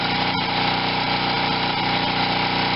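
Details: Wen 4050 generator with new carburetor under a 1500 W load, under half load, output about 60.5–61 Hz after speed-screw adjustment; small engine holds a steady, even buzz, no hunting, surging or knocks, running healthy.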